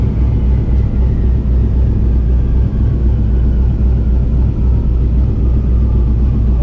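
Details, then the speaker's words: 2000 Camaro with a turbo 5.3 Gen 3 iron block, 243 heads, stage 3 cam, 98mm turbo and X85/methanol fuel, down on power after racing. Deep rumbling idle with an uneven galloping lope, a beat dropping out about four times a second: a dead cylinder with no compression. "Does it sound like down a hole? >> Yeah. >> Okay. That's what I wondered. Uh, I can hear it galloping right now. It sounds down."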